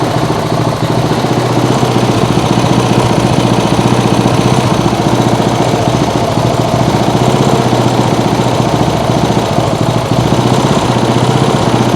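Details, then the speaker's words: Lawn mower engine outboard build 2.0: small single-cylinder running at steady, even rapid beat with no skips, stumbles or backfire; not misfiring, running clean. "Doesn't take back. It doesn't sounds like it's it doesn't sound like it's misfiring or anything."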